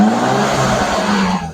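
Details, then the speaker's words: BMW E36 after tightening loose spark plugs to about 18-20 ft-lb (one plug had been damaged, ran poorly when hot): smooth, even idle hum with steady low tone, no misses. "it's like a sewing machine now it's it's absolutely beautiful it is amazing the difference you can make when spark plugs are tight"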